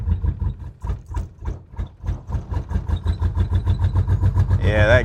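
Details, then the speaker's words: 1981 Pontiac LeMans G-body wagon with a swapped Pontiac 400 V8, sat for years, first start on old tank gas: cranking pulses quicken as it catches and stumbles roughly, not firing on all cylinders; bad gas suspected. "well well we're pumping gas we're running on not all cylinders that's a good sign though it's a good sign that it's some gas in there"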